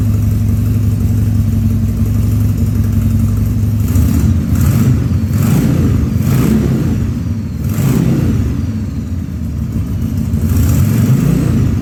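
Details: 2000 Harley-Davidson 1200 Sportster V-twin on its first start after a carb rebuild and leak fixes, no air cleaner: a loud, uneven, lumpy idle with occasional coughs and stumbles through throttle blips, running slightly lean.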